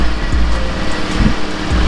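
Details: Zuma scooter after full rebuild, first start with all plastics on: small engine runs with an even low drone and slight rev changes, no knocks or rattles; runs clean and steady.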